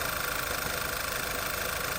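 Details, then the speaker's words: 2011 VW EOS 2.0 TSI idling with a slightly uneven stumbling misfire and airy hiss, still present after aftermarket PCV valve; OEM valve fitted, then a vacuum leak at the timing cover gasket found and replaced. "In the last video, we put this one together, the aftermarket, original, and aftermarket. And this is what it's doing. I still have the misfire."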